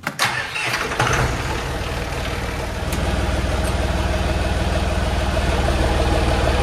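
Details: John Deere 5400 tractor with hydraulic reverser transmission, first start after being split in half and reassembled to fix a noise. Starter cranks, catches, then a steady even diesel chug settles into idle with no knocks or grinding, running healthy.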